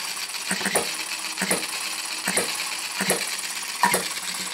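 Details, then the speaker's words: Retrol HM-01 7cc four-stroke horizontal hit-and-miss model engine, restarted with a puff of smoke, gives sharp metallic ticks about once a second with uneven gaps between firing bursts; sweet normal hit-and-miss running. "oh that puff of smoke wow what a sweet running"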